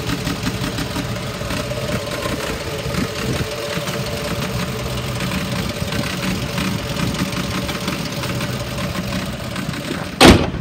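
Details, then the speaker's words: 2009 Ford F-250 XL, 55,000 miles, battery dead and jump-started after sitting unrepaired with a steady misfire; uneven idle with pops and stumbles, won't rev past 1,500 rpm, little explosions heard in the intake: misfire with intake popping. "I can't get it to rep up more than that it doesn't go past 1,500 RPMs no matter how hard I accelerate it so there's definitely something wrong with it"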